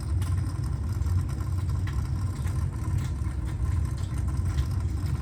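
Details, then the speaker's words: New 3/4 HP well pump replacing a burned-out motor, low-water cutoff lever lifted to start it at 6.5. Steady low hum with water chattering and no knocks or rattles as it runs and pressure starts to build. "It's 6.5, so it's running. And I can hear the water chattering here."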